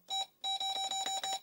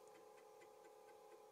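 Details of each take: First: Apple II Plus with Videx 80-column card clone, PR#3 active: Ctrl-G console bell gives one short beep then a run of buzzy mid-high pulses; sounds different from the 40-column bell. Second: Apple II Plus second (lower) disk drive, which had debris inside, during a fast verify: quick head-stepping ticks over motor hum that sound weird and a bit uneven, cause unclear; the drive still works and boots Oregon Trail.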